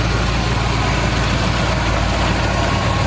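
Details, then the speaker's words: 1976 GMC Sprint after sitting about 15 years, on first test drive: steady low idle, even pulse, no knock or tick, not skipping a beat; normal idle, no overheating or leaks, transmission shifts fine. "he is purring like a kitten. I mean, not even skipping a beat."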